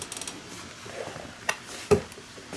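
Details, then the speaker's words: Wheelchair: a few sharp, irregular clicks in a quiet room as the chair moves, an annoying clicking; front wheels and bearings then replaced, exact cause unclear. "so this wheelchair started making a an annoying clicking sound yeah let's see if we can get that It's upsetting to my mother who's had a stroke and effects does not like the sound this thing makes when it sounds like it's"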